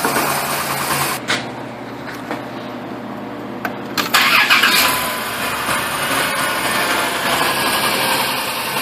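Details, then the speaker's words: Dodge Caravan (2000–2010, 3.3L or 3.8L V6) with P0300 and P2305 misfire codes, coil signals being checked with a test light: starts quickly and idles evenly with no audible miss at this moment; normal idle. "it actually sounds like it's not missing right now either which kind of sucks kinda hard to diagnose the damn thing"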